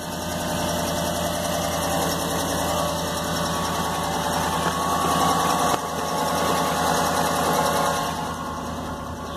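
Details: Jeep 5.7 liter Hemi V8 idling with a quick steady tick about four times a second, louder than normal, from a driver-side exhaust manifold leak caused by one broken upper rear bolt.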